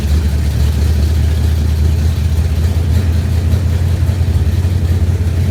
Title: Exhaust leak 94 gt